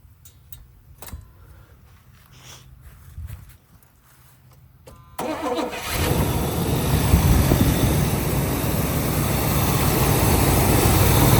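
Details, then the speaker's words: 1978 Pontiac Grand Prix, Pontiac 301 V8, long parked yard find, first start: quiet cranking, then it catches and settles into a steady, quiet, smooth low idle with no knocks or misses. "Okay, she runs. Well, the old Pontiac does run and runs pretty smooth."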